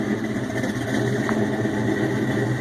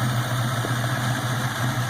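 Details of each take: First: Ford Mustang GT 4.6 V8, Trick Flow stage 2 cams, untuned and cold, supercharger not hooked up, BBK long tubes, X-pipe, 2.5 in exhaust, Flowmasters, heard from the rear: deep rumbling, uneven loping idle with slight surging. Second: 4.6 Mustang GT with Trick Flow stage 2 cams, supercharger not yet hooked up, first start, cooling system not fully connected: BBK long tubes, X-pipe and Flowmasters give a deep, steady loping idle; normal idle with cam lope.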